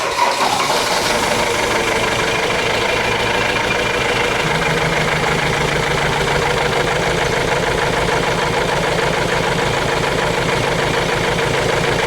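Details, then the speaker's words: Ford Transit diesel, hard to start and missing badly, running during an injector leak-off test: loud idle with a hard clattering rattle about three times a second. Number two injector return did not fill. Rough rattling idle. "very difficult to see because of the uh engine rattling, but as soon as it's finished, I'm going to leave it running for a couple of minutes"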